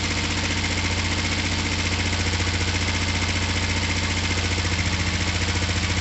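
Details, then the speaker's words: Finished, repaired twin motorcycle, oil just topped up, down pipes wiped so slightly smoky, started from the button: steady, evenly paced idle with firm low throb, no misses or stumbles; healthy. "but let me top up the oil and uh and fire it up and show you guys that it does idle and run perfectly"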